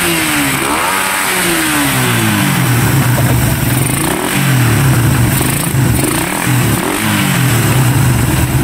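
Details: Raider 150 motorcycle after repair: revs rise and fall cleanly in repeated blips without stuttering. The earlier rapid backfire and RPM cutting out were caused by a faulty CDI; it sounds healthy now.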